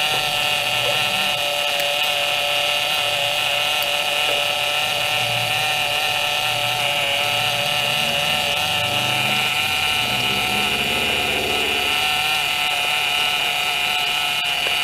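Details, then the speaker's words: 2007 Pontiac G6 after high-pressure power steering hose replacement, fluid not low but full of air: steady high whine over the running engine; aerated power steering pump, fluid foamy, improving as it runs. "well this one's not a low of course it's just got a lot of air in it so we'll start it up and check it out"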